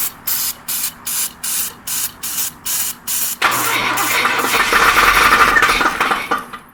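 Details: Jump-started engine that won't start: starter churns in even bursts about three a second, then a rougher rush of noise, engine never settles into running; extended cranking, no start.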